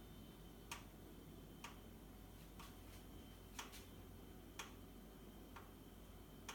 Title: Boxi boiler - knocking sound